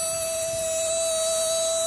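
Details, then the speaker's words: Replica Imhotep relay charger/desulfator powered by a solar cell, sitting on a hollow wooden door, charging a 11.81 V battery: a steady high relay buzz whose frequency changes when the battery load is connected. "i don't know if you can hear that changes frequency when i put it on load that's pretty cool"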